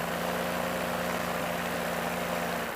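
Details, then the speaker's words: Paramotor small two-stroke engine on pre-flight ground run-up: flat buzzing drone that bogs and sags, won't rev past about 5,500 RPM instead of the expected 7,000-8,000; starts easily; later engine failure and forced landing. "You can hear it's kind of bogging down, so I got to take it off and see what's going on."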